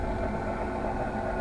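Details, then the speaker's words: Old desktop computer that now boots Windows 8 and 10: the power supply fan gives a steady whirring hum with a faint unchanging drone and runs louder than it should. "พัดลมตัวนี้ดังนะครับผมตัวนี้ดังตัวนี้เป่าเป่ามานี้นะครับ"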